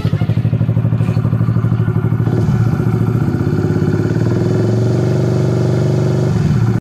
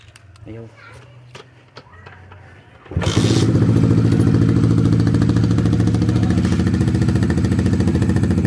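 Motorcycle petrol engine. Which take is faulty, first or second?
second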